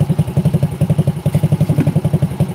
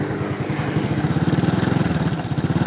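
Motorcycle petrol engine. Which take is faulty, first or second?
second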